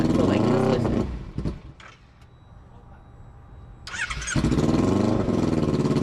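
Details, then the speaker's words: Motorcycle left unwinterized eight months after a crash, battery being charged: engine catches and runs briefly, drops to near silence, then catches again; it won't stay running, battery suspected. "It's staying on like the lights are staying on, but it's not staying on like when you hit the starter or something."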